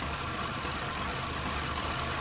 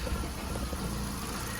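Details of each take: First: VW Golf at idle, with coil packs unplugged one at a time for diagnosis. This coil gives a faint, quick ticking over a steady idle and sounds healthy. Other coils sounded poor and are suspected to need replacing. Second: Misfire on a VW Golf at a low, lumpy idle with an uneven exhaust beat and the engine visibly shaking. It is suspected to come from a failed ignition coil pack.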